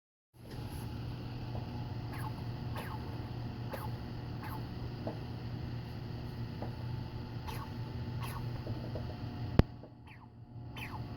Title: Bad bearing?